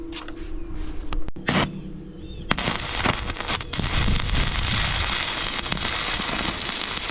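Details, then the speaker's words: Stick welding new teeth onto a 2007 New Holland LS185.B skid-steer bucket with 6013 rods at about 200–210 amps. An uneven sputtering crackle with popping bursts once the arc strikes. The welder thinks the current may need to go up a little. "We're gonna use these 6013s. Started off at around 200, 210. I may need to crank it up a little bit more."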